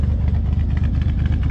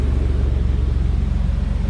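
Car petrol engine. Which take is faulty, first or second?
first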